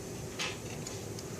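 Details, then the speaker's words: Early-style Mercedes 300SE throttle body (non-ASR, cruise control and idle speed control) on the bench: single sharp metallic click as the throttle switch trips before the lever touches the edge; normal switch operation. "click has to happen before lever touches the edge so it happens before lever touches so this is perfect"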